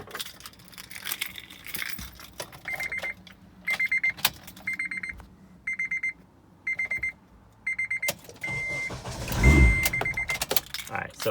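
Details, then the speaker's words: 2005 Honda Element after a starter replacement, battery reconnected. Door chimes, then a brief crank, and the engine catches quickly and settles. Cranks and starts cleanly with no grinding. New starter works. "we're going to turn it on to make sure the starter works and what you're going to see is that it turns on crazy"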